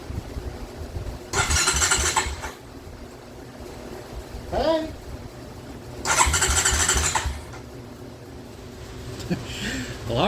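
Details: Wrecked 2007 Honda Recon ATV that sat 8 to 10 years with rat-chewed wiring: two one-second bursts of electric starter cranking with no firing. The engine cranks but won't start.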